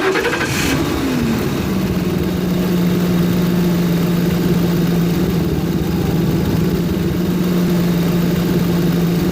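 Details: Ford Crown Victoria engine catches and settles into a steady, even idle with a smooth low hum; no belt squeal, sounds healthy.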